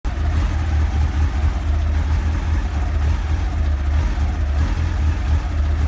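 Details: 1989 Honda CBR1000F at idle running 2014 CBR1000RR Fireblade stick coils: low uneven stumbling rumble, one cylinder intermittently dropping out; misfire began a few days ago, owner suspects plugs are needed.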